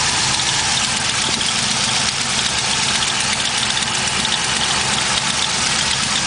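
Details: LS1 V8 idling with a fast, light ticking mixed into a hissy, bright exhaust note; collapsed lifter and valvetrain tick were suspected, but it turned out to be an exhaust leak.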